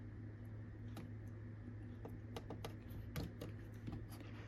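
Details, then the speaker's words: Tandy DMP133 dot-matrix printer with no computer turned on: scattered sharp ticks and light clicks over a low hum as the print head pins fire on their own, marking the paper; cause unknown. "there's no computer turned on right now and that's what it does so and look at this you can see the marks that it leaves in the paper don't know why it does that but it does"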